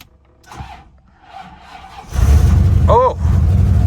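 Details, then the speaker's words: Rolls-Royce, sat with stale fuel smell, started on a jump pack at 32° outside: quiet cranking, then the engine catches with a loud, rough, blatting low roar; exhaust leak from blown exhaust. "Oh, what a what a sweet sound of a blown exhaust. Oh, and this car is so loud."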